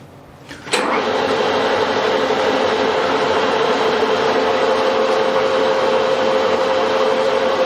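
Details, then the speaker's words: Victoria milling machine, chain drive from spindle to table feed, noisy at high speed before service, tested at top shaft speed unloaded after chain tensioning: smooth, even whir, no rattle or slap; healthy chain drive. "that's pretty good um that's about as fast as i'd ever run this shaft now it could be noisier when it's under load but i'm happy with that"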